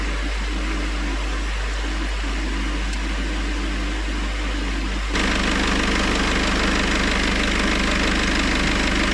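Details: Citroën C4 Grand Picasso 2.0 BlueHDi 150 diesel after head gasket repair and engine refit, idling in Park at 60°C gearbox oil temperature during the gearbox oil change: steady, regular clatter of about three beats a second with no knock or miss.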